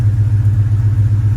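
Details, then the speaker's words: Whipple-supercharged Fox body after startup tune adjustments, no longer rich at idle: smooth, even low pulsing idle with no misses, knocks or surging; healthy, settled idle. "But yeah, once I made some adjustments to the startup, it's not really rich and idle anymore. It's just sitting there idling, happy."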